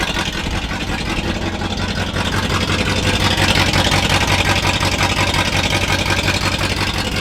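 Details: All-original 1962 Chevrolet C20 3/4-ton pickup with automatic, six-cylinder engine, first run after sitting about 60 years and a fuel pump replacement: steady, fairly even idle, light rhythmic patter, no knocks.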